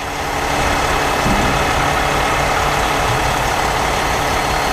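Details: Peterbilt dump truck, diesel idling, PTO hydraulic pump tested by shutting off the return line to the tank: heavy steady idle whose note changes as the line closes; pump judged bad and to be replaced.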